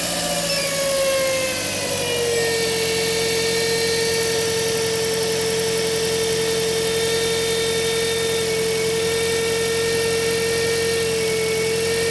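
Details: Toyota Auris, hum under the hood near the alternator, not metallic like a bearing, belt not at fault; steady pure hum dropping slightly in pitch then holding over a smooth idle, failing alternator diode bridge.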